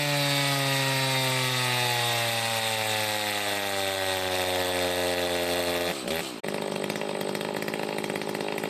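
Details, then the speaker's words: Echo 590 chainsaw with a 620 cylinder, after muffler mod, timing key advance and carb fuel nozzle swap, fresh off the dyno. Crisp two-stroke snarl sags under load, then holds steady. Healthy exhaust note, running normally. "all right so we got this fresh off the dyno I said it has a nice healthy exhaust note to it now not too crazy definitely more in stock"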